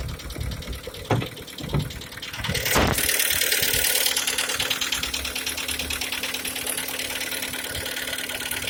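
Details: G4KD engine, 102,000 km, idling after start-up: light repetitive tapping knock keeping pace with engine speed; cause unknown.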